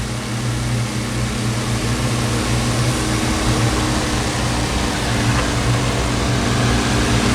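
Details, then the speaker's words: Honeywell HT-803 turbo fan after noisy bearing fix with added bushings; even steady low hum, no rattle or grinding, quieter. "I gotta let it run for a little while before I say for certain that it's good but looks like they fixed it"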